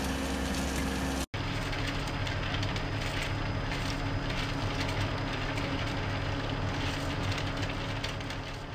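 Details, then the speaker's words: Planar hot-air diesel heater with PU-05 controller switched off: fuel pump stops, then fan speeds up and runs on as a steady even whoosh without ticking or rubbing to cool the unit; normal shutdown. "press the middle button you'll hear that the fuel pump went off and then it will increase the fan because what it's trying to do is call this unit down here it's as simple as that"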